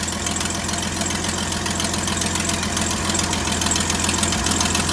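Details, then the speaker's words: 1972 GMC tow truck, first start after sitting 22 years since 2003, idling steadily with an even, fast patter over a low hum; no blow-by, possibly a slight exhaust leak, and it sounds healthy. "Boy, that sounds beautiful. That's a sweet little motor. It is. It always was."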